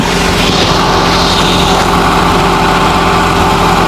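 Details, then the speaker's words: Car exhaust pipe after DIY welding repair, engine idling in neutral: steady even idle with smooth low rumble, no puffing or ticking at the welded joint; muffler sealed and healthy. "Magandang ko kung may singaw siya. Wala naman guys. Alright. So yan. Okay na uli ang ating muffler."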